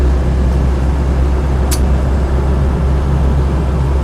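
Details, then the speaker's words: Land Rover 90 2.5 TD diesel on the road, heard from the cab: steady low drone with no knocks or rattles; motor, clutch and gearbox good, no synchro problems or jumping out of gear, no real drivetrain slap. Normal running. "So yes, motor's nice, clutch is good, gearbox is really nice, there's no synchro problems or jumping out of gear or any sort of nasties from the gearbox at all."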